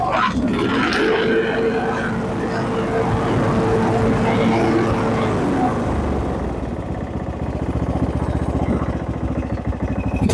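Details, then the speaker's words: Husqvarna riding mower single-cylinder engine that had backfired and shot flames through the carb, running after coil and spark plug replacement, choke fix and valve check: steady even firing beat, no pops or backfires. "so now it seems to be a pretty good running engine so except for fixing the choke on the carburetor I didn't touch the carburetor"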